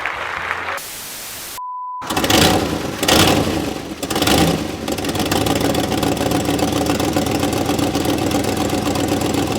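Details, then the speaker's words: 1958 Mercury Montclair Turnpike Cruiser, not run since at least 1994, with rebuilt carburetor after fixing a backwards-installed accelerator pump: fires after a couple of uneven catches, then settles into a steady, even idle with no misses or knocks. "starts right up sounds good"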